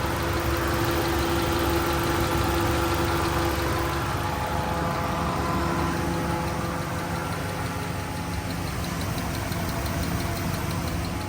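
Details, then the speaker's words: 2012 Dodge RAM 1500 V8 in Arizona summer heat: steady idle with a light, even tick about four a second, present since day one; owner leans toward an exhaust leak but none is visible; source unconfirmed. "I'm I'm leaning towards exhaust leak, but I don't know. I mean, there's nothing to show an exhaust leak, but that's kind of the last thing that we'd be at."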